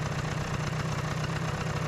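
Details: Vespa PX two-stroke, idle mix screw back at preset and idle screw set to a reasonable rpm: steady, even low putter with no surging or hunting; normal idle.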